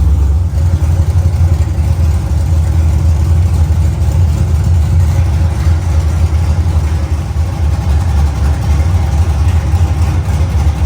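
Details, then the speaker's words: Freshly built LS1 V8 in a 1LE Camaro, first startup in an enclosed shop: loud, deep idle with a steady lumpy chop about four times a second, stable; very loud but runs and sounds good, normal idle with aggressive cam. "it's it's pretty loud I don't need hearing protection but it is loud so it runs sounds pretty good"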